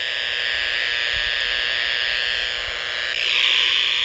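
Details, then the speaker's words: Power-line interference on an ICOM R30 receiver near a transformer: harsh steady buzzing hiss with a rapid pulsing edge; owner suspects a bad or loose ground or a lightning arrester. "I can walk away from the transformer. And the noise is going and the noise is gone."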